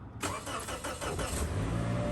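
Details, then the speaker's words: Ford F-250 diesel cold start at a displayed minus 13 with the block heater plugged in about an hour, after the glow plugs warm: a short crank catches within a second into a steady, even idle with no starter chatter; healthy cold start. "Seems good there. It's pretty good."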